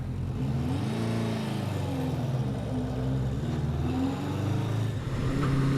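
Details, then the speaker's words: 1977 Honda CB400 Four, first ride after rebuild with new exhaust at about 43°F (6°C), started right up: smooth, even four-cylinder drone rising and falling cleanly with throttle, no misses; owner judges carb sync close; running normally. "man it just sounds so good I the sink has to be close because well it wouldn't it wouldn't run this good I mean it sounds good like I you can just hear when it's right"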